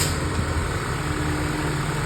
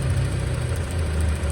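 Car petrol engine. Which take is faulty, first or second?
second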